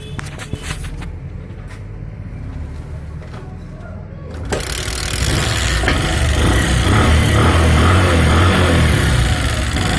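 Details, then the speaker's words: Bajaj Platina single-cylinder motorcycle, fired up before the rocker cover is opened: it settles into idle with a quick light ticking, about four per second; suspected loose rockers, which the mechanic expects to go quiet once tightened. "दोस्तों इसके अंदर साउंड आप देख सकते हैं, इसका साउंड हो रहा है। तो मुझे इसका रोकर खोलने होंगे, चेक करने होंगे। अगर रोकर ढीले होते हैं दोस्तों तभी आवाज़ करते हैं, रोकर टाइट करने के बाद आवाज़ बंद हो जाएगी आपकी।"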